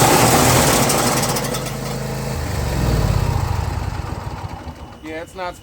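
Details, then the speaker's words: John Deere Z335E zero-turn mower: rough, irregular clanking about two to three times a second over the engine once the blades engage, like it's about to explode; busted deck spindle. "we got a busted spindle so if you turn on your blades and you hear a clicke Clank sounds like it's about to explode turn it off immediately"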